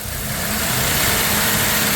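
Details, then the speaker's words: 1997 Dodge Grand Caravan SE revived after 4+ years abandoned, idling with an even idle and steady hiss; belt not squeaking for now, expected to return once residual soap wears off the belt; crank snout bent (about 30 thou runout). "Yeah, otherwise, it's not squeaking right now. So, but it'll start squeaking again once whatever"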